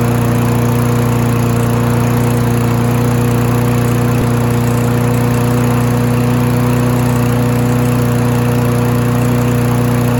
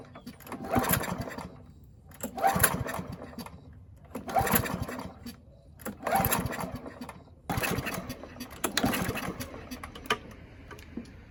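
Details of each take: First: Free Husqvarna mower after both ends of the governor arm spring were adjusted: a steady, even drone at constant pitch with no hunting or surging. Normal governed running speed. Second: Free Husqvarna mower, throttle cable missing, carburetor main jet stuck and uncleanable, trying to run on tank fuel: five pull-cord attempts about every two seconds, each a brief cough with no catch. Hard starting from the stuck jet.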